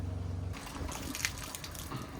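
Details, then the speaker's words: 2021–2024 Winnebago Revel with HydroLink plumbing, water pump draining the tank during winterization: a steady pump pulse breaks into irregular wet sputtering and gurgling as it sucks air. Pump sputtering as water runs out. "And you can start seeing it sputter. You're getting toward the end of the water in your system. And once that stops, you'll hear the pump gurgling."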